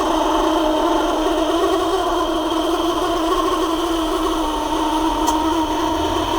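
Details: Parlux 2800 hair dryer motor running: even, strained drone with rough edge; motor turns stiffly, not spinning freely, probably from a dried-out bushing after long storage.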